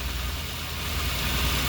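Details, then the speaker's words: Daihatsu Gran Max injection engine, using too much fuel and low on power, shaking at idle since last night: low, slightly uneven idle with a faint stumble in the beat. Misfire, dead cylinder. "Jadi sebelumnya ini normal sebenarnya normal sudah boros dan pernag tenaga. Namun tadi malam kendaraannya boros dan matikan mesinnya goyang."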